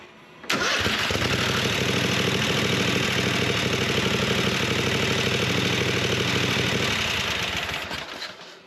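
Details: Craftsman GT6000 with a Kohler Pro 22 hp V-twin after rebuild, not starting by key because the carburetor solenoid is suspected faulty. The engine catches at once and settles into a steady, even idle with no knocks or misses; it sounds healthy.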